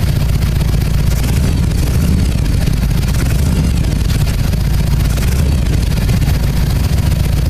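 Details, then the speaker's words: Harley-Davidson EVO, Magneti Marelli fuel injection, about warmed up after TPS reset: deep steady V-twin rumble, even idle with no hunting or surging; healthy warm idle. "so once the bike warms up and the cold idle motor relax es it'll come to rest against the warm idle screw setting after the bike warms up and it sounds like it's about warmed up"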